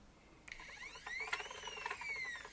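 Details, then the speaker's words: PnP parts dispenser stepper motor, now geared instead of pulleys, with new acceleration and deceleration: thin whine rises in pitch, holds, then falls smoothly, no grinding or skipping; working normally. "so firstly you might here I've got acceleration and deceleration working"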